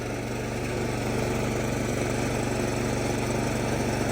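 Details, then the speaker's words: 2019 Craftsman 24-inch snow blower, single-cylinder, electric start, throttle at midpoint, choked and primed: smooth even putter about four beats per second, no misfires or rattles; about half as loud as the 1977 model. "that machine only makes in comparison, that maybe only makes about half the sound that old one did."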